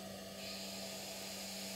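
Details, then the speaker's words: Anaesthetic machine breathing system leak test, flow meter at 4 L/min, reservoir bag filled: faint steady hum then a soft, sustained high hiss as oxygen vents from the APL valve's 60 cmH2O safety release; normal relief. "it also has a safety release at 60 centimeters of water so if i do continue to fill up this bag you might start to hear the sound of oxygen escaping out the top of the apr valve"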